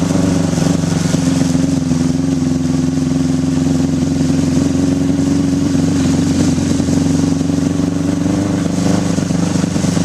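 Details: 1981 Honda CB750 K1 four-cylinder on test ride, partly on choke: bogging, stuttering, wavering note that never pulls clean; barely rideable, suspected vacuum leaks at carb boots/throttle shafts and carbs out of sync.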